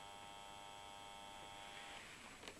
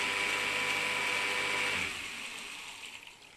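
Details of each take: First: Faint steady hum for about two seconds with no spin-up, then it cuts out, as a Salamander ESP 80 electric water pump is plugged into the mains; the motor is trying to start but can't. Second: Steady high electric whine from a Salamander water pump motor, rewired to capacitor start, that winds down after about two seconds; it runs normally, and the owner suspects a pressure sensor stops it with no water.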